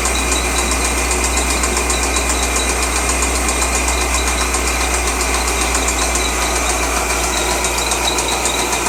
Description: Noise from LS6 Engine in a 2003 Z06 Corvette